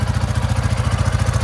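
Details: Coleman UT400 idling after the loud exhaust noise was fixed by tightening the loose exhaust fastening; a quick, even putter of about ten beats a second with no exhaust chuff or rasp, which is how it should sound.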